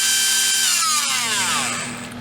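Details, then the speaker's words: REDS Racing VX4 Pro Stock 17.5T brushless motor on test bench, about 23,352 rpm at 45 degrees timing: very high whine with buzzy rattle falling away on coast-down; shaft vibration, suspected shaft slightly loose in bearing, tiny slop found. "That usually happens if the bearing is a little, if the shaft is a little loose in the bearing."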